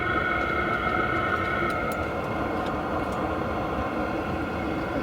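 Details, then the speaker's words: Hcalory diesel heater exhaust heard outside from a couple of feet with the silencer fitted: steady, muted combustion rumble with a faint hum, no surging or popping; silencer quiets it somewhat. "the silencer does definitely quiet it down some but I really don't think it's that big a deal with my garage leaving that off"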